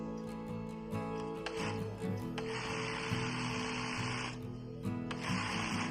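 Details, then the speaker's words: Feed-off-the-arm industrial sewing machine after fixing a shaking looper connecting rod that caused needle cutting and skip stitch: smooth, even stitching whir in bursts, no knocking or rattle; normal running. "ಏನು ಟಾಕ ಇಲ್ಲ ಏನು ಇಲ್ಲ ಮೂವಮೆಂಟ್ ಚೆನ್ನಾಗಿಐತೆ"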